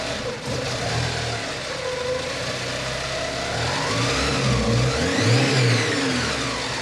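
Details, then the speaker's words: Porsche 944 8-valve naturally aspirated engine with a Lindsey Racing MAF conversion kit replacing the OEM airflow meter, power wire jumpered to the blower relay. It catches quickly and idles evenly through smooth throttle blips with no hunting. Normal start; later slight tip-in hesitation, possibly from running lean. "well looks like that did the trick the engine started right up and didn't present any idle issues"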